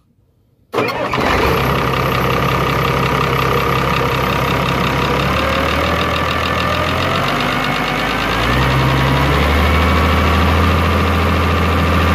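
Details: Isuzu 6BG1 six-cylinder diesel on an older Hitachi machine, after a no-start fault was fixed by advancing the injection pump timing: it catches immediately after cranking and settles into a steady, even idle, three to four beats a second.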